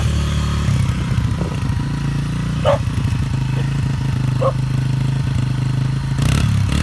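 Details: Flood-damaged Yamaha TTR 125 that had been locked up, now freed and revived: a steady, even single-cylinder putter with light throttle blips while a dog barks nearby. It is running healthy.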